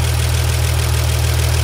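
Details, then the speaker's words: Diesel engine just after a valve lash adjustment, run with the valve covers off to verify: steady, even idle with a low rumble and no ticking or knocking from the valve train; normal diesel idle. "so at this point we're going to fire it up and listen to it with it open just to verify everything"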